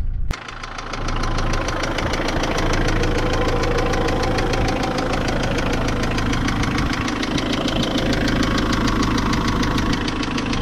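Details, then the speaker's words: Mitsubishi L200 diesel idling with a loud, steady knocking tick, about three a second, from a spun big-end bearing. Oil level was fine, and a cambelt change by the previous owner didn't cure it. "that's that's what it sounds like from outsiders you can use um it's quite a loud knocking ticking noise whatever whatever you want to call it"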